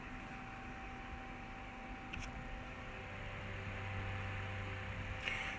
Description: This one has a humming sound to it